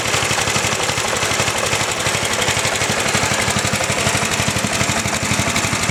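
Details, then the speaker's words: John Deere lawn tractor, healthy factory 8 hp single-cylinder engine, side panel removed: loud, even popping at idle with lots of clatter but regular beat, engine visibly shaky; normal idle. "Not that it has a problem running, but I was going to show you what a normal 8 horsepower idling motor looks and sounds like."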